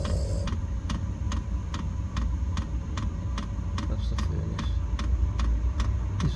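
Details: Hcalory 12V 5KW diesel air heater, fitted in a gym with an upgraded fuel tank: even low burner roar with crisp fuel-pump ticks roughly twice a second; the heater is firing and running well.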